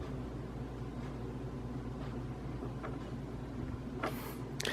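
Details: Casablanca Hampshire ceiling fan bought around 2007–2008, louder in reverse; blades tight and no rubbing seen: quiet steady low hum with a faint rough grinding underneath; grinding developed over the years, cause not yet found.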